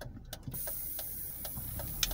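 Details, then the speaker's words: Volvo P2-platform car (V70/S60/S80/XC70/XC90) with a thin, steady, snake-like hiss and light clicks near the brake pedal, intermittent and sometimes louder: a brake servo/booster seal vacuum leak before seal replacement. "All right guys, there's all the hisses that I keep getting"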